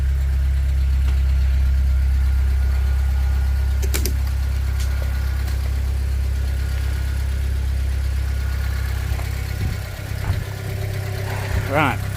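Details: Fiat 500 idles with a steady, even low hum and regular beat, no misses or knocks, after connections underneath were cleaned of Vaseline and sprayed with WD40; normal idle.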